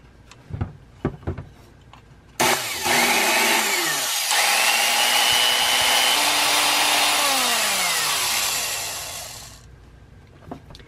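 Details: 1950s Black & Decker U-3 1/4" Deluxe Utility Drill after cleaning and repair, first run: spins up to a high steady whine, holds evenly, winds down smoothly; faint brush hiss, owner wonders if the brushes need wearing in; no burnt smell; runs healthy.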